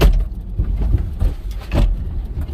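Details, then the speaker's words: 2-door Ford Bronco Sasquatch Badlands, 2.7L EcoBoost, 10-speed auto, with Bilstein position-sensitive shocks, off-road over whoops: dull low clunks in irregular bursts, the normal sound of the shock cups engaging and disengaging. "So when we're gonna plod through these whips here, you'll kind of hear the clunk, clunk, clunk. That's those cups engaging and disengaging."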